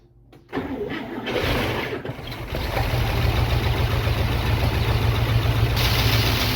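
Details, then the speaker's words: International Scout V8, first start in about 13–15 years after new spark plug wires: no fuel line connected, cranks then fires in steady low pops on gas fed down the carburetor; firing order sounds good, runs briefly near idle. "We're getting a pretty good pop, so"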